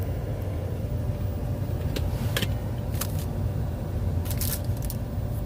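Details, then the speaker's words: Squarebody truck after blower motor replaced with an LMC Truck part (old one made a bad noise), keys on: strong steady rush of air with low even hum, no scraping or rattling; blower runs smoothly, blowing strong at the floor. "It's blowing real strong down here."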